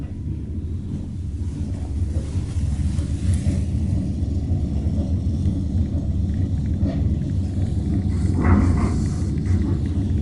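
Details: Express Lift Co hotel baggage lift, installed around early 1990s, with worn bearings: heavy low rumble with steady thump about three times a second, then lift stops and goes quiet.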